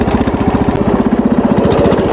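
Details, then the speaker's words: Wheel Horse tractor single-cylinder while working: a slightly uneven, lumpy beat with varying pulse strength, before it got much worse. Owner suspects the ignition points gap is closing up and needs readjusting. "yeah you can tell something's off so it seems to be running just fine now the sound has gone away temporarily i can't hear it at the moment maybe it'll be fun all right so it just got a whole lot worse it doesn't sound good at all"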